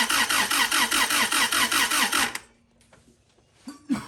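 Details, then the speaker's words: Honda CRX that previously had spark then lost it, after distributor internals replaced and ECU fuse swapped: starter turns engine over evenly, about two and a half turns per second, never catching; crank no-start, no spark. "Crank it. I need you to crank it though. Yeah. No spark. This is the face of defeat."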